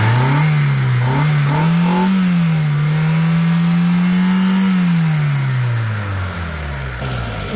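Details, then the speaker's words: 2006 Hyundai Getz, 78,000 km, recently changed engine oil and coolant, no blow-by: engine revs smoothly to steady higher pitch, holds, drops back evenly with no knocks or misfires; healthy. "Engine sound వినొచ్చు మీరు ఎలా వస్తుంది ఏందనేది చాలా smooth గా ఉంది engine"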